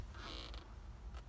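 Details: Ford E350 5.4 extended van: two short whirring, creaking bursts from the dash CD unit with nothing playing, occurring even when unlocking the door; CD mechanism cycling on its own, cause unknown.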